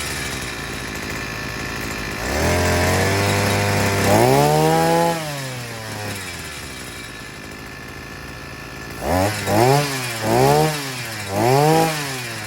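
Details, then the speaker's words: Sican 3.6 HP 52cc two-stroke outboard after maintenance (new clutch, NGK spark plug, gear oil, air filter check): steady idle buzz, then several quick clean revs dropping back smoothly; runs healthy, clutch working properly. "seems good so the maintenance items have been taken care of now and it sounds like it's running healthy clutch is functioning as it should"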